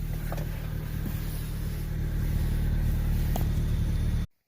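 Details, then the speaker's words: 1995 Honda Del Sol after installing a 255 lph fuel pump: steady, even, healthy engine rumble with no knocks or misses; fuel pump is loud. "Alright, cubbies are back in. Car is good, sounding good. Fuel pump's loud."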